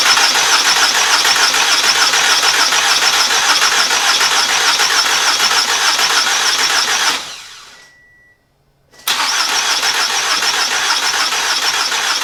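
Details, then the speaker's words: 2014 Toyota Camry SE bought at auction, new starter fitted, partly reassembled: strong even cranking around two hundred turns a minute with no firing; crank no start, later fires on starting fluid so owner suspects no fuel, fuel pressure untested. "all right since the car is not cranking i think we just need to go to like start from the beginning check each little thing we need spark we need air we need exhaust and we need fuel"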